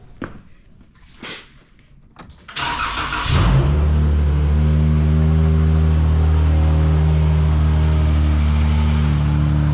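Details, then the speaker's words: 2012 Dodge Challenger 3.6L in for overheating: starter whir, then a deep, booming idle far louder than stock from a trashed exhaust; balancer slipping on crankshaft from loose crank bolt, belt not turning water pump. "Keep in mind, this uh exhaust is kind of trash, so very loud."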